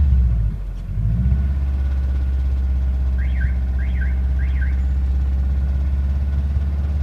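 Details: Subaru Impreza WRX EJ205 at idle: low steady idle with faint repeating knock and a few chirps; engine knock, cause not pinned down.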